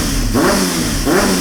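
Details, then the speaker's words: 1998 Honda CBR600 running after fuel work, carbs possibly needing sync: quick throttle blips with revs rising and falling hesitantly, slightly rough; owner suspects a lean condition, as touching the choke smooths it out. "so it runs but it has a little bit of roughness to it and I think that is because of a lean condition if I touch the choke just a wee bit it'll smooth out hear that yeah and I have a theory of why it's lean"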